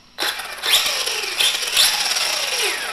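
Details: A Kyosho Mad Van VE RC electric motor whirrs up and down in pitch smoothly with the throttle after ESC calibration; it is clean and even, with no grinding, so it is running properly.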